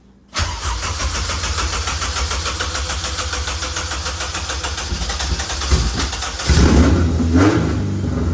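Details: Honda K24-swapped EG running E85, first start: brief crank, catch, loud steady even idle with short blip, smoky; clean first start.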